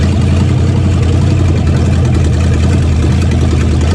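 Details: 1969 Plymouth Fury 400 big-block V8 first start after oil pan replacement, in park, after charging battery: deep even rumble with steady beat, no knocks or ticks; healthy normal idle.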